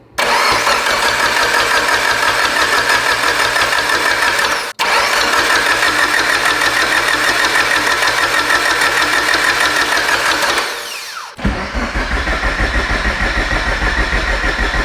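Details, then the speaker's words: Abandoned Mitsubishi Evo 8 being built for 800whp, before first start: fuel pump fuse pulled, coils and crank sensor disconnected, cranking to build oil pressure; steady even starter churn about three beats a second, no knocks; normal cranking. "Gonna go ahead and disconnect coils and crank sensor. This guy here is crank. Let's turn it over, see how she sounds."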